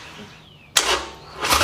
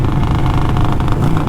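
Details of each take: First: Reassembled Harley-Davidson Sportster, tried with more fuel: even starter cranking for seven seconds, never firing. Owner first suspects the battery; it was later found to be a fuel issue. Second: Rebuilt, non-stock Harley-Davidson Sportster with new exhaust, riding while cruising: deep, even burble on deceleration, firing pulses smooth and regular, road and wind underneath; healthy exhaust note on overrun.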